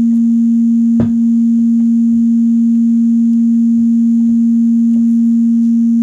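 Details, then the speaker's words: Line 6 DT25 guitar amp with intermittent power dropouts, leads on multi-connectors being waggled: steady hum with one sharp pop near the start and fainter crackles, popping on its own in the background; intermittent fault from a failing valve. "it's popping and banging away in the background it's very easy to fool yourself into thinking that you've just done that by moving something"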